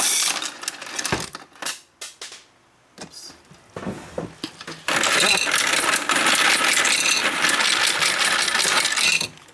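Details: Royal Sovereign FS-44P coin sorter/counter feeding coins into tubes with preformed wrappers, fed gradually; rapid, fairly even clicking and rattling of coins over a steady motor whir; normal sorting run, count correct at $44.10.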